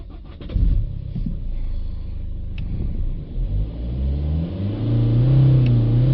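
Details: BMW 320d with new turbo and cleaned DPF, restart after DPF reset and code clearing: brief crank, then catches and revs climb smoothly with even rumble.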